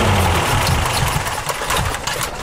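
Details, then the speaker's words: 1985 Toyota Celica GT, 2.4 L 22RE engine, intermittent low power: under throttle the note sags and stumbles and can't be brought back, oxygen sensor confirming an actual (not false) lean condition; fuel pressure to be checked next. "you see how lean that went how I couldn't bring it back this is a this is an actual lean condition"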